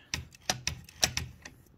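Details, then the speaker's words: Toshiba BW-3112 Japanese typewriter carriage, before clearance adjustment: sharp irregular clacks, about six in under two seconds, with a hard catching knock; a retainer hits the inside of the frame when the carriage twists, from too little clearance. "hitting the inside of the frame and indeed if you twist The Carriage like this in this motion that brings that part of the frame lower causing you to eventually catch"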